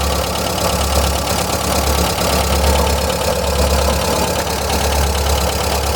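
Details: 1999 VW Gol 1.0: small engine idles evenly with a faint quick tapping over the hum; owner suspects lifter (tappet) noise, cause unconfirmed; ticking at idle.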